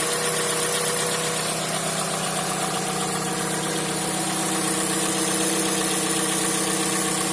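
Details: Mazda CX-5 idling: light, quick tapping around four per second over a steady idle; engine knock, source undetermined.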